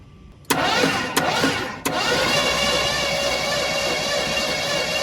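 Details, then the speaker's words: 1972 Ford F100 sat for decades, engine freed from seizure, new battery and spark plugs, cranked via remote start switch: three quick bursts then even rapid starter churn without catching, fuel pump working; crank no-start. "Fire in the hole? That doesn't sound too good. Let's try that again."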